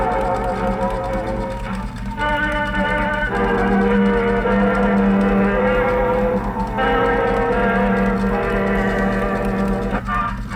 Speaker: 3 days of working on this that sounds pretty good congratulations